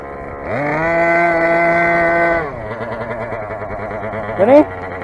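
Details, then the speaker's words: Rovan 45cc big-bore Chinese two-stroke, first run, exhaust header modified, flywheel changed for normal pull starter: screams up to a high, thin buzz, holds, then drops to rough uneven idle; running lean, carb settings way out, stock carb. "it's quite obviously carb settings are white out I started out on stock 11 I was setting eleven out of seven settings so I'm just reaching it"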